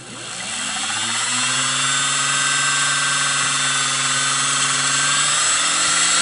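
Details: Singer 404 slant-needle sewing machine motor after seating brushes with a brush-seating stone: high whir climbs in pitch over the first second, then holds steady, speeding up as brush contact improves; normal motor run-up.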